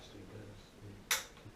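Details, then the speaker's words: AO Smith water heater with Honeywell gas valve: gas being purged, then the igniter button is pressed and gives two sharp, crisp snaps about half a second apart in a quiet room; normal igniter spark to light the pilot. "You push this button right here. That creates the spark."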